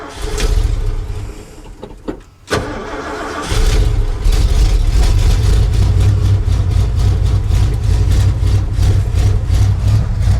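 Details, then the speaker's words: Carbureted V8 truck, cold start around 30°F, no choke, long crank then uneven loping idle that stumbles and dies if throttle touched; blown power valve in carburetor, rebuild kit on hand. "remember it's weird no choke you can't touch a gas or it'll die it's going to die anyway power valves blowed in the carburetor so it's"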